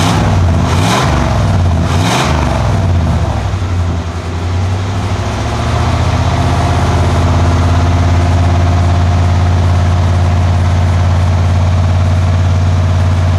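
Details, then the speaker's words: 1991 Cadillac Brougham: two quick revs rise and fall, then deep throbbing drone with slow beat about twice a second at idle, believed to cause drone at about 59 mph; reversed, upside-down muffler and missing resonator. "that distinctive beat that you see on the the meter I think is would kind of contributes to that droning sound uh going down the road at about 59 M"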